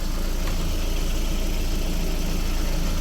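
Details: 2001 VW Beetle 1.8T with stored code P0322 and intermittent hard starting: smooth, steady idle with an even beat and no misses; the signal is not dropping out and the fault is not reproducing.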